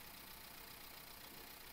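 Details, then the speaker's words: 2015 Nissan Juke 1.2L petrol, towed in after shaking and breaking down on the motorway, idles with a busy, uneven rattle and unsteady beat; codes P0300, P0304, P0011, mechanic suspects a rattling timing chain plus misfire. "I'm going to start the car and check old school way and I feeling I don't know you can hear this one I feeling timing chain also rattling"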